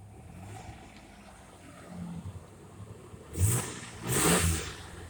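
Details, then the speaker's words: 1989 truck petrol engine at its first start in a week, after a full tune-up last year: low, steady idle with two quick, clean revs, running normally. "again that's the first start for this one in a week like i said as much money as i spent on last year i would hope it would uh would run good"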